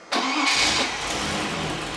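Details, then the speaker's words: Freshly built Rover V8 (GEMS) engine on the test cell with a manual flywheel, already pre-run for cam break-in. The starter whirrs briefly, the engine catches cleanly and flares up, then settles to a smooth, even idle; a healthy start. "an engine that runs that's nice yeah sounds lovely"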